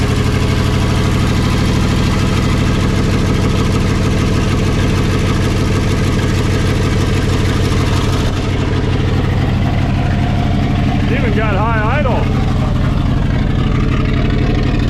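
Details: 1960 Pontiac Ventura, 2-barrel 389 V8 with automatic, revived after 24 years parked: on a cold start it holds a fast, steady, raised idle with a deep even rumble and no misfires; normal cold fast idle.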